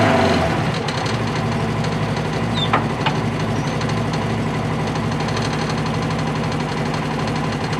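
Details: Donor Polaris RZR 1000 with its own ECU put back in. It fires up and holds a steady, even idle with no stumbles or hunting; running properly.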